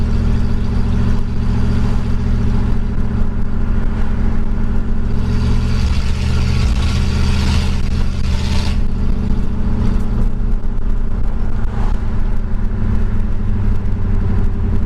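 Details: 1965 Pontiac Catalina V8 on a test drive after Rochester 2-barrel carburetor cleaning: deep steady drone pulls evenly with no stumble or flat spot; runs a lot smoother.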